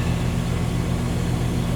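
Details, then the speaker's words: Condenser of a 2-stage central AC at a rental property, fixed after miswiring, in stage 2 (high stage) drawing about 18 amps, about 3 amps (20%) over stage 1; even low compressor hum, steady fan rush, no rattles or buzzing; normal. "Now we're drawing about 18 amps. So we are getting a difference, about a 3 amp difference. It's about 20%. So appears to be working."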